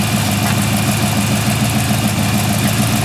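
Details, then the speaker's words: 1940 Ford Tudor street rod V8 with new torque converter, idling in drive: steady low rumble about three and a half pulses a second, no stalling; normal idle in gear. "she Run's good now"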